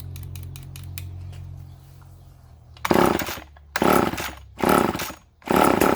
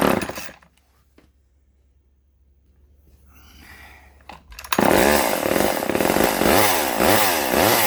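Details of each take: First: Vintage Poulan S25DAV chainsaw: it catches in four short, ragged bursts, each dying within a second, running only on the primed fuel. It won't draw fuel, a fuel-line problem. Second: Vintage Poulan S25DAV (Super 25) chainsaw after fuel line replacement: quiet priming pulls, then catches and runs with a steady rasping two-stroke buzz wavering slightly at idle, plenty of oil coming out; top cover and air filter still off.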